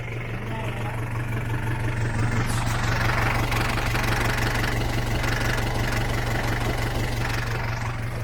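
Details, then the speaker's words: Isuzu Elf mini dump truck with a 4BE1 diesel engine, running during an overheat test: a low, even diesel clatter at steady idle with no odd knocks or misses. Clean, normal idle. "Yun, ang linis ng tunog."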